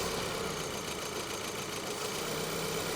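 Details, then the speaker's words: 2012 VW Eos on a cold day, stumbling hard at idle with an uneven beat about three to four times a second, bucking instead of settling. The engine struggles to keep running despite damage only at the rear; misfire. "can you hear what's happening she's really stumbling hard this is weird because the damage is to the back so why are you stumbling up front"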